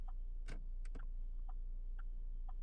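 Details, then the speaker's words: Auction H3 Hummer, engine running: crisp flasher relay ticks about every half second, evenly spaced over a quiet engine hum; turn signals working, normal flasher. "Start it up, on, off, and we have turn signals."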